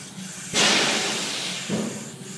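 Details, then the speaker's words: 6.0 Powerstroke with P0401 and a hissing only under hard boost, with the intake system pressurized for a leak test: sharp rushes of hissing air bursting, fading and surging from a boost leak, located by feel. "I can hear it too so yeah now I hear my leak so I start feeling"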